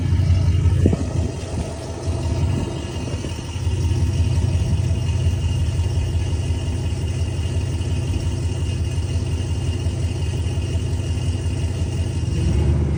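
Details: 2004 Chevy Silverado V8 with newly installed long-tube headers: deep rumble rising with throttle, with a rough ticking puff and rattle from exhaust leaks.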